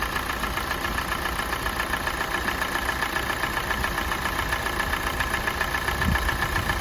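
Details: Kia Sportage 4G 2017, G4NA engine, 265,500 km, idling from cold start: even light knock about three to four times a second grows as the engine warms, absent at start; owner says it doesn't sound like piston knock, source unknown.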